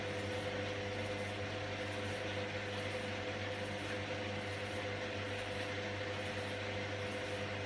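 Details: Candy GVS169D3/1-80 Grand O Vita 9kg washer after replacing failed motor-controller triac (error E09): empty-drum high-speed spin, nice and quiet, well balanced, steady low drone, no thumping or rubbing; normal.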